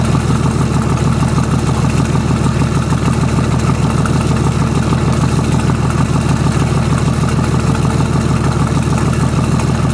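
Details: BMW/VM D190 marine diesel at first start after a rebuild following a broken valve, with a VM 2.4 liner, piston and head, idles with a lumpy, uneven beat and heavy low thrum; air drawn in past leaking injection pump front shaft seal.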